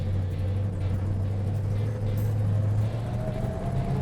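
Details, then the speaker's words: 1970 Plymouth Road Runner 440-6 four-speed driving off from the shop; the crash-box gearbox was rebuilt with new synchros. A faint metallic whine rises with road speed under the engine drone: normal old gear whine. "there's that old Hemi four-speed wine nothing you can do about that it's an old crash box"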